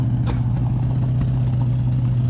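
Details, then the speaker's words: 1968 Dodge Charger Hemi with dual carburetors: heavy low idle hum with irregular popping and an uneven beat; a large vacuum leak prevents a proper idle, and the rear carburetor was drawing all the air. "well it's alive oh it's idling but it's got a hell the vacuum leak that's why I couldn't get an idle"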